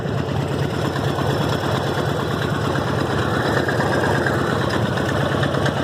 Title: Harley Davidson Evo rod knock or lifters?